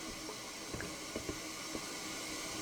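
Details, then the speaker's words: Toilet before repair, water running non-stop; constant soft hiss of water trickling into the tank; fill valve not closing and leaking. "if you can listen carefully you can hear water running water running in here that means the valve is not closing this some hissing noise that means the valve"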